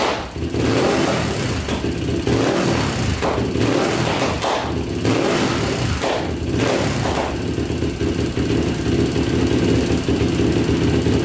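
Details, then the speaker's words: Rebuilt Yamaha YFZ450 quad revving up and down: it idles perfectly, but sharp backfire pops come as the throttle closes. The needle is shimmed richer with two spacers and different jetting was tried without fixing it; it acts lean. Cause unclear. "It idles perfectly, but you can hear the backfire. So I'm not really sure what the backfire is coming from."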